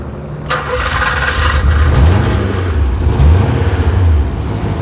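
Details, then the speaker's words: 39-year-old car, hot after driving, restarted at idle after engine died twice while pulling in, with an O2 sensor warning light that is now off; brief crank, catches and settles to steady low idle without misses; stalling cause unknown. "As I was pulling in, I got an O2 sensor error code. Well, it's just this giant light on the dash, and the engine died. So it did it at the corner over here, and then as soon as I pulled in for lunch, the engine died again."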